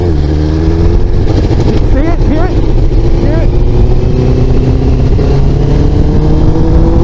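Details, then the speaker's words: Motorcycle (model not specified) at about 152°: engine pulls up through revs, then wavers briefly before recovering; intermittent stumble, owner suspects bad gas or dirty injectors. "so I don't know if I got a bad tank of gas or the injector need be puted out"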